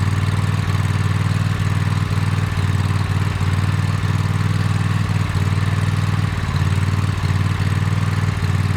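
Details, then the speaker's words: Toro TimeCutter MX 4200 zero-turn V-twin idling: lumpy uneven beat that sags and recovers, hesitates when driving; misfire from failing ignition coils after fuel, plugs, filter, valves ruled out. "So you guys can hear it idles and it drops down, idles, drops down, idles, drops down."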